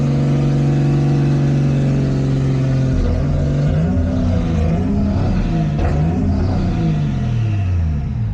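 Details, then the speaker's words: Toyota Cressida after fuel pump rewiring: starts and runs unevenly, revs hunting instead of settling; idle air valve stuck fully open regardless of setting, partly plugged to idle. "Starts and runs. Doesn't run very good, but starts and runs. So we have the idle valve completely closed. Unfortunately, it's not working."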